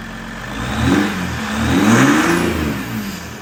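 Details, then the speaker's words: 2022 Ram EcoDiesel 3.0 diesel with aFe intake, just after installing aFe Power Blade Runner charge pipes: revs up twice cleanly from idle and settles back, faint turbo whistle on the rise; turbo heard a bit more, normal revving. "from what I can hear sounds like you can hear the turbo a little bit more which is good"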